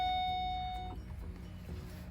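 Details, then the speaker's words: Pontiac G8 build with a single bell-like ding that fades, the door-ajar chime. The door had been left open, which was blocking key power and stopping the start attempt. "i forgot that i had the door open the whole time so that is what was killing everything"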